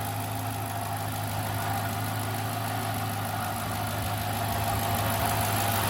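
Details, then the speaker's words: 2008 Dodge Charger at idle: gritty, rough grinding, gurgling metallic noise under the engine hum, with normal injector ticking; owner suspects the front of the motor (timing chain tensioner, belt pulley or water pump), unconfirmed. Abnormal grinding at idle. "you can hear the kind of grinding gurgling metal metallic noise you can also hear the injectors pulsing that tick tick tick tick tick but that grinding noise is not normal"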